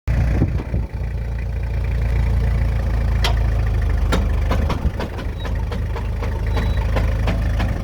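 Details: Toyota Hilux LN107 diesel idling with 4WD engaged and new extended half shafts, scattered sharp clunks during slow full-lock turns from the front CV joints; cause suspected, not confirmed.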